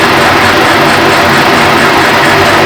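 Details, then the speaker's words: Horizontal boring mill boring a tool-holder bush at 255 RPM, 3.9 thou per turn feed: steady, even drone with no chatter or squeal, insert cutting inaudibly, a clean quiet cut. "I say that simply because I can't hear the insert cutting. And not having a noisy cut is a pretty good sign."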